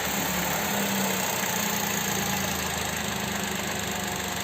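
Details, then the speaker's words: Chevrolet Onix Plus at idle with brake pedal pressed: steady smooth idle with faint quick light ticking from the fuel injectors; normal injector noise. "esse barulhinho aqui a sua ligação zinha são dos bicos tira o pé"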